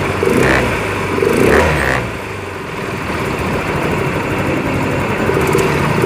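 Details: Yamaha Mio Fino 125 FI scooter after repair of a rough ticking ("klitik") noise; settles into a smooth, even idle after a few blips, no ticking or clatter; runs clean.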